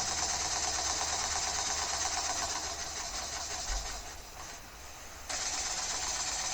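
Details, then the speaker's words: Home-built slide valve mill steam engine, sped up: fast steady chuffing hiss with soft clunk about three times a second, once per revolution; owner suspects off rod/bearing alignment binding, may rebuild base and bearings tighter. "I may just have to rebuild the base and the bearings uh to tighter tolerances. Speed it up. You can still hear that clunk in there."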